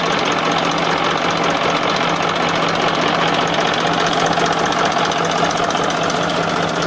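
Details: 1994 Massey Ferguson 1035 DI tractor diesel: steady, even hum with regular clatter and no misses or knocks; running normally.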